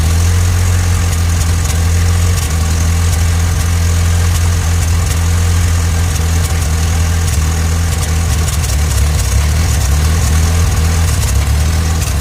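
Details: 1986 Ford Ranger 2.3L idling: low rumble with uneven stumbles and irregular skips; rough idle. Owner has had ongoing misfires despite changing many parts, later thinks it's only slightly misfiring; cause unknown.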